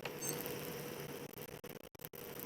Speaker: As I was loading the filament to run this print, you can actually hear that the filament is popping, and this is all the moisture that's in the filament just boiling off as it's loading into the nozzle.